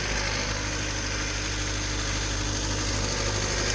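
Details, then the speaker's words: Car jump-started with a portable battery booster tool (pack showing 14.8%, 38% left afterwards), started right up: steady, even petrol idle with a smooth low hum, no knocks or misses; engine running normally after the jump start. "started good started right up let this thing run for a little bit that's a pretty good little test on our charger"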